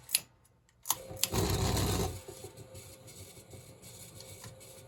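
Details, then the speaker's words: NuTone Verandah Deluxe ceiling fan being repaired and rewired, with stiff bearings needing oil: switch clicks, then loud buzzing rattle settling to quieter hum; bad vibration noise, bearings later sprayed with WD-40 as a temporary fix. "Don't worry about that noise. All that is bad vibration, which we're going to look at."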